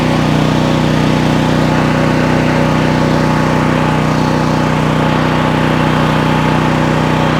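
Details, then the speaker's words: New Troy-Bilt XP 7000 W generator with Briggs & Stratton engine, first start on ethanol-free fuel with added fuel filter, before break-in: loud, steady single-cylinder drone at even speed, no misses or knocks; normal running. "and here is one of truth guys that started fairly loud respected but like it's running there"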